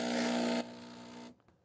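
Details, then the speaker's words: Breville Barista Express espresso machine after its temperature was set to +2. A steady low buzz with hiss that drops, then cuts off after about a second. Owner suspects an aging solenoid, not confirmed. "You guys hear all that sound? I think my solenoid is getting old, okay?"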